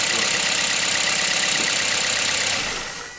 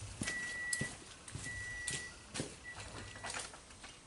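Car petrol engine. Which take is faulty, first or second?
second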